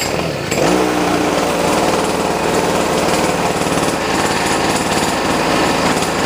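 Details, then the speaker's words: Boreem Tankman scooter with starting problems, choke may need work: loud buzzy small engine at fast idle with uneven, stumbling misfiring beat and a rattle on top; it still runs and drives. "so as you guys can hear it's kind of like rattling you get it's it's kind of misfiring but uh it does run"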